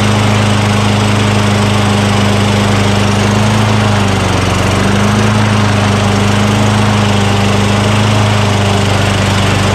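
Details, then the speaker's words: Craftsman self-propelled lawn mower with 6.75 Tecumseh single-cylinder engine, a curbside trash find, just started after priming the intake with spray degreaser during oil sludge drain repair; steady hum with a brief dip, normal running. "all right how about that huh from the curve to running"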